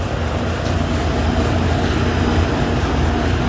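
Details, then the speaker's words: Outdoor AC condenser unit, previously humming without starting, now running after a $12 40/5 capacitor replacement, started from the indoor thermostat: steady low hum, even fan rush, no stutter or buzzing. Airflow weaker than it should be; coils very dirty. "We are back to working again and good to go."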